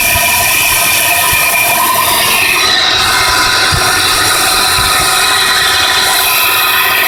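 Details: 1993 Nissan Pathfinder SE engine running with a steady high-pitched metallic whine, hiss and faint knocks. It appeared a few weeks after the timing and other belts were replaced; the owner wonders about the oil pump, unconfirmed.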